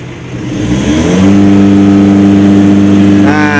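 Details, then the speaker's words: Mitsubishi L300 Euro 4 at just over 4,000 km, full throttle with clutch pedal pressed: revs stick flat at about 3000 rpm versus about 4,300 rpm with the pedal released, per scanner; clutch switch cannot be adjusted, limiting engine speed. "dia mentok di 3000 temen-temen gak bisa naik ya"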